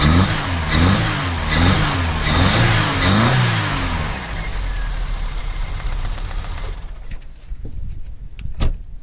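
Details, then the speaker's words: Vauxhall Cavalier GL, 1.8 litre with SRi 130 top end, 45,000 miles, new head gasket: lumpy uneven idle with stumbling beat about four seconds, then quiet clicks, during lead pull test; cylinder 3 misfire, injector suspected. "This should run horrendously. I'm taking that one off. problem with cylinder 3. That's definitely the one that's giving us the problem."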